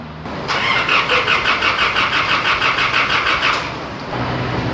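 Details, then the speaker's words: Isuzu D-Max diesel after rebuild for warped cylinder head and stuck piston rings from overheating: steady cranking about three beats a second for three seconds, then catches and idles; long crank because fuel is slow after full system teardown. "ไหมครับตอนนี้สตาร์ทล่างยาวหน่อยเขาว่าเรารื้อทั้งระบบนะครับน้ำมันก็จะมาช้านิดนึงนะครับ"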